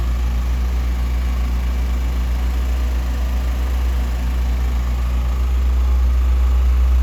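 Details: 1988 Lotus Esprit, first start after injectors and plug wires replaced, fuel pumps on separate battery, hot-wired: deep heavy idle with low throb and slight unevenness, smoking, thought to be from WD-40 in cylinders; air-fuel ratio off, not running cleanly.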